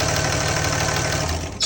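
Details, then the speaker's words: 2005 Dodge Ram 2500 5.9 Cummins diesel, code P0203, previously sputtering and stalling, after cleaning the oil-soaked injector connector: steady, even idle clatter with no misses, then clean shutdown; normal diesel idle after the fix. "That's good. Sounds like it's supposed to."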